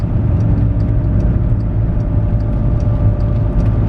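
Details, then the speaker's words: Skoda Octavia vRS turbo after a boost-leaking pipe was fixed, under hard acceleration uphill: a deep, strong pull with a building roar, no boost hiss, and noticeably quicker; normal acceleration. "i shouldn't have spoke that soon it's definitely quicker"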